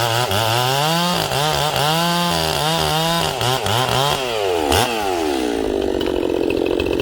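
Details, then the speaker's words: Ported Echo 670 chainsaw with a 24-25 inch bar, first cut during break-in, no choke. Screams hard in the cut, pitch dipping under load and rising clean; slightly lean high-speed tune for break-in, so more high jet is needed. "so right there this sauce a little lean it's not lean it's not lean in terms of tuning it's a little lean for what i would like for breaking so i'm gonna give it a little more high jet"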